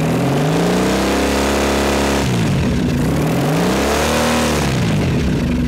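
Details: 2007 Triumph Thruxton 900 twin after stator and regulator replacement: revs up cleanly twice, pitch rising and falling smoothly, steady firing; with voltmeter connected, voltage rises to 13.6–13.7 V, healthy charging system despite a poor, discharged battery.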